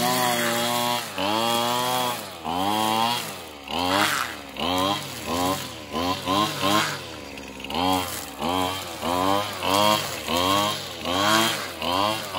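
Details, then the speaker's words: Older Husqvarna 225L straight-shaft trimmer after a new carburetor and tune-up, with no carb adjustment needed: a crisp two-stroke revs up and drops back in repeated bursts without bogging; runs like new. "this thing works amazing now guys it works like brand new"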